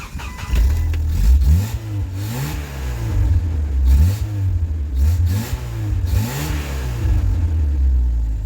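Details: Jeep TJ 2.5 after distributor replacement, battery charged after sitting 2.5 weeks unstarted (had backfired and quit): engine catches after cranking and revs up and down smoothly in repeated blips, firing clean and even; normal start and rev.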